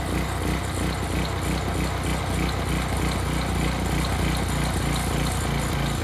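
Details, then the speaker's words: Early-to-mid-2000s Craftsman brush mower that sat 3 years, carburetor cleaned, oil not yet changed, first start: loud, steady small-engine drone holding speed without surging or dying; runs great, normal running. "well that's perfect runs great what more can he ask for"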